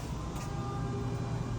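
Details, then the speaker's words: Thor Palazzo RV on shore power, passenger-side bedroom slide-out fully closed, press out once and hold in: steady even electric hum with faint fixed tones, no hitching or grinding; slide-out motors synchronizing normally. "Listen for the noise, the synchronization of the motors."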